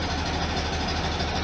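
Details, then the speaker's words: 1973 VW Super Beetle air-cooled flat-four after new valve cover gaskets and an oil change with STP additive, oil pressure reaching 60: lukewarm idle just under 700 rpm, a low even loping beat, started without throttle. "kind of a lukewarm Idol just to touch under 700 I didn't have to put my foot on the gas to crank it up which is good sign"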